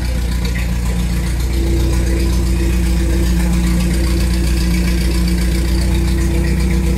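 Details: Renault R2087 (Goélette) 4x4, first start in a long time after engine rebuild, alternator and electric fuel pump fitted, weak old battery: deep, steady idle with an even low thrum around 220 beats a minute, no knocks or misses; normal idle.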